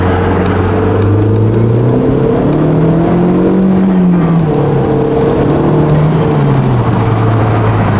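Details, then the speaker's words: Audi S3 on a test drive after a timing job: engine pulls cleanly, pitch climbing smoothly with no knocks or rattles, boosting really well; timing confirmed good, though a Haldex code and traction control light appeared afterward. "Feels pretty good. It's boosting really well."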